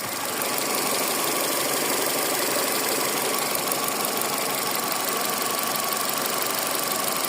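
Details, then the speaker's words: Car engine idling during an oil change, timing belt done in February at 233,000 km, no oil leaks: steady, even idle with a hissy top end and no knocking or tapping; normal healthy idle. "or tout est sec et le moteur passera bientôt au carcher pour le nettoyage complet de celui-ci et écoutez je n'ai aucun claquement moteur"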